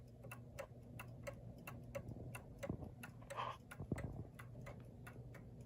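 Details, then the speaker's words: New Haven Clock Company Horace model clock, one side lifted: steady tick-tock about three beats a second but unevenly spaced, out of beat; fix is bending the pendulum hanger toward the lifted side. "a little out of beat though it shouldn't be it should be even like that"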